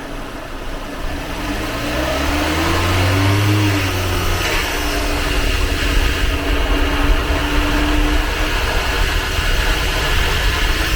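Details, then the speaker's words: Jeep Renegade automatic transmission on a lift, revved: loud, rough droning hum from inside the gearbox rising with engine speed; shifts without jerks, but internal bearings certainly failed, likely from water entry; gearbox to be opened and bearings replaced. "Porém, o câmbio tá com um barulho enorme dentro do câmbio, tá? Então, provavelmente aí, né? Provavelmente não, certeza que é os rolamentos, tá?"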